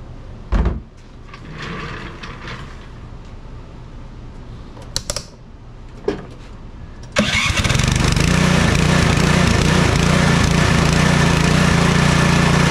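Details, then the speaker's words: Troy-Bilt Storm 2420 snowblower (model 31AS6KN2B23) after ultrasonic cleaning/rebuild of its Huayi carburetor for won't-start/surging complaint: engine catches after handling clatter and holds a steady, even drone without surging or hunting; smoke is only debris burning off the muffler. Normal idle. "well besides the smoking off all that stuff that has been sitting on top of the muffler for so long everything's working properly running good again"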